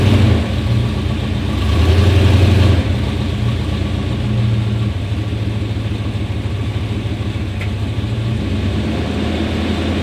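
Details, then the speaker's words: 1991 Chevrolet Suburban V2500 4x4, 5.7L 350 V8, after new cap, rotor, ignition module, plug wires and fuel filter: uneven idle stumbles and sags when dropped into gear, like missing spark, stalls in gear; misfire from faulty ignition coil. "and you can just see it was just it's like it's lacking power it's like not getting enough fuel or enough Spark"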